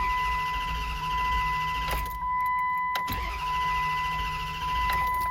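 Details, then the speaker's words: Dodge Durango 4.7 L V8 with intermittent crank-no-start: starter spins steadily over a constant chime but never fires; throttle position sensor suspected. "right now it's not starting all right let's check out the TPS sensor"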